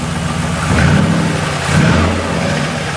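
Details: 1972 Corvette restored with an LS fuel-injected V8 swap, 4-speed automatic and custom side-pipe exhaust, started and revved: deep burble swells in quick blips and returns to an even, lopey idle; clean, healthy exhaust note.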